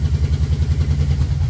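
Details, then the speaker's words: 1989 Yamaha VMAX, warming up, won't idle properly and misfires on acceleration: deep, lumpy, slightly uneven idle that slows as the choke is lowered to halfway and dies once it is off; owner suspects carburetors or spark plugs. "I mean, you go to that point and then the chokes off and then it dies."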